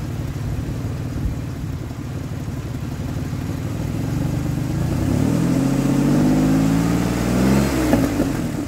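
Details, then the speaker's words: 2003 Ford Explorer that failed inspection with a misfire, after fitting a replacement coil from a spare engine. Smooth rev rising and falling with a clean, even pitch and no stumbling; misfire gone, normal running. "it's running smoother than it was and once I once I put some pressure on it goes right out I like it so right I'm happy dad coil that's gonna do it"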